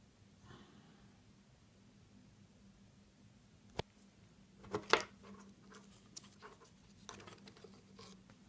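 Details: Seiko SNK809 automatic watch with 7S26 movement; sharp irregular clicks and brief rattle as the watch is moved, a rotor rattling issue.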